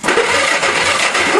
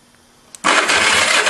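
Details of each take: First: Go-kart engine, two test spark plugs on the leads: starter spins the engine briskly and evenly but it never fires; no spark, owner suspects dirty points needing sanding. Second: Go-kart small engine with points-and-condenser ignition, key on during a spark check: quiet, then a sudden steady rough churn as the starter turns it over evenly without dragging; normal cranking, with spark present.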